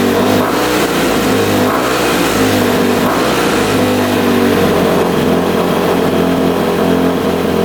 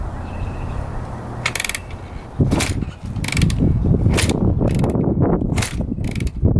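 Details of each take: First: Rebuilt 2006 Honda CRF250R, apparently the first start since the rebuild after adjusting the throttle screw: steady single-cylinder running with smooth throttle blips, picking up cleanly and settling back; healthy. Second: 2006 Honda CRF250R, fully rebuilt by the previous owner but never fired, kicked on choke with fuel flowing to the carb: ratcheting clatter and compression pulses, no start, odd sound like a loose cam chain.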